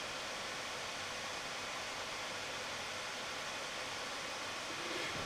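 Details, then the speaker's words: Dell XPS 2-in-1 9575 laptop fans at full (100%) speed, recorded without microphone gain control: steady loud airy rush, constant pitch, no ticking or grinding; normal fan noise. "so yes that's the fans at full volume feel free to skip to the beginning of this video and hear the difference"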